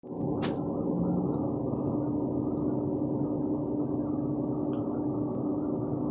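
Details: 2014 Ford Fusion: steady, low moaning drone from the fuel tank area over a dull rumble; the car usually stalls after making this noise. Moaning tonal noise from the fuel tank.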